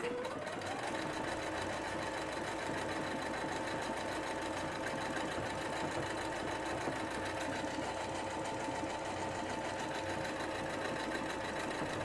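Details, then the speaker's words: Singer SE9185 sewing and embroidery machine sewing the name "Singer" as a repeating sewable lettering stitch from menu 4 (not embroidery): a fast, steady whirr with even needle chatter at one speed throughout, no knocks or binding. It runs normally. "Aí aqui ela vai estar repetindo novamente o nome. Virou basicamente um ponto de letras."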